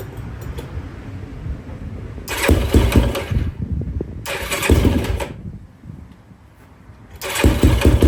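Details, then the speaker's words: 2004 Yamaha YFZ450 single-cylinder after sitting, carburetor cleaned for a clogged pilot jet and new ignition fitted, started on a battery: fires and picks up cleanly in three short revving bursts; starts right up, healthy, fan working. "So, she does run pretty good. You can hear the fan kicked on. It's a good sign."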